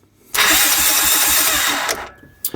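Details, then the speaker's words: Honda Big Red 300FW ATV, starter jumped directly from battery positive: strong, steady starter whir spins the engine evenly for about a second and a half; normal cranking, starting circuit good. "Now, in this case, it does crank, because we know everything is good."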